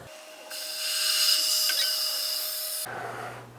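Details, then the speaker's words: New Harvest Right freeze dryer after its functional test ends, drain valve opened to release vacuum so the door can open. Loud, steady high hiss rises, holds a couple of seconds, then cuts off; normal vacuum venting. "so what we have to do is we have to reach around the side here and open up the drain valve and that's going to release pressure"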